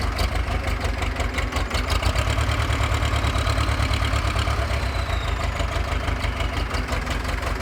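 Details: Pettibone Model B-66 diesel lift machine, hard starting after being under 8 feet of hurricane floodwater, with fuel, injectors, hydraulic oil and controls replaced: a heavy, uneven low idle thrum with irregular firing pulses.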